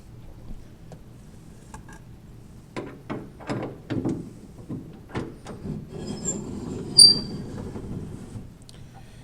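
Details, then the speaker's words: 1987 Shelby GLHS Charger door: the window regulator gives a dry, scratchy squeal with sharp high screeches near the top as the window rolls up, like fingernails on a chalkboard, binding at a bushing. "I think I want to go ahead and cut another access hole down here and just have a look at this to see if I can do something down here with this bushing behind here, because it sounds like fingernails on a chalkboard."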